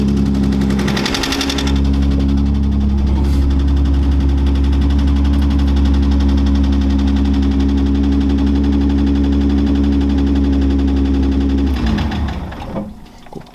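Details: Datsun 280Z idling while fitting a Mishimoto fan controller; its green wire touched to 12 V positive runs the electric radiator fan: steady, constant whoosh and hum for ten seconds, then winding down; fan working normally.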